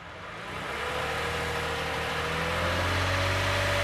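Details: 2015 Toyota Sienna AWD 3.5 V6 after rear catalytic converter exhaust leak repair with new donut gaskets and bolt springs: catches, rises briefly, settles to smooth even idle, no ticking or exhaust puffing; sealed, healthy.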